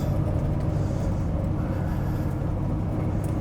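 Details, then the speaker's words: TVR Griffith 500 V8 on test drive on a private road after extensive work, which fixed vacuum advance, seized distributor weights, unplugged sensors and vacuum lines. Steady, even roar under load with road noise, no misses or stumbles; pulls cleanly, healthy acceleration. "That's a cool car. What a lovely, lovely noise. Brakes feel great. Steering feels good."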